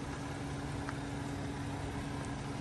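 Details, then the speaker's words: 2009 Kia Rondo EX V6 at idle: a low, even hum with a faint steady tone and no knocks, misses or ticks, so quiet you can barely hear it running; normal smooth idle. "listen how quiet it is you can't even hear it running"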